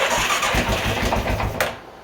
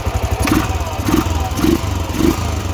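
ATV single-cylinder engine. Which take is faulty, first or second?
first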